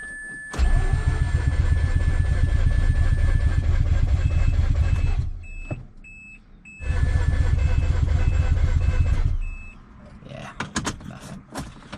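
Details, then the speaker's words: 2004 Mazda RX-8 manual, six-port rotary, ignition system rebuilt and catalytic converter removed, hot restart: two long bursts of steady cranking about four turns a second, never firing; hot no-start persists, cause unknown, owner considering a compression test. "Now this car if you don't let it sit for 20 minutes to half hour without trying to start it it would not start"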